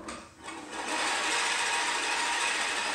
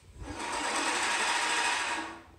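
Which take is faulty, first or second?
first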